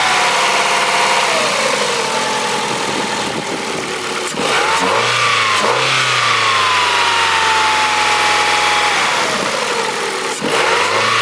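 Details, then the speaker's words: Abandoned Ford after new injectors and throttle body, with belts disconnected: engine revs up and drops back smoothly with no squeal or chirp, intake audibly drawing more air through the filter; earlier noise traced to belt-driven accessory; normal running. "with the new injectors and the throttle body that the car is running better it seems to want more air is you can hear it through the filter it's definitely demanding more air"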